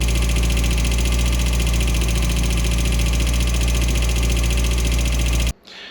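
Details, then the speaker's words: Ford Fiesta Mk1 with Zetec engine, steady idle with a light fast top-end tapping about four per second; owner told to set tappets, but camshaft was refitted and all followers changed, so cause unclear. "it sounds like a tapping noise now people have told me that I need to set the taets on it"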